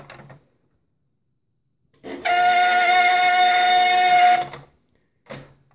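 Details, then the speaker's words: HP LaserJet 1200 laser scanner motor before lubrication, with the side and top covers off: a steady high-pitched squeal that holds about two seconds then cuts out; dry motor bearing, fixed by lubricating the motor. "So what I did is I took the sides off and the top off and did a little bit of investigation, and I found out it's the laser scanner making the noise."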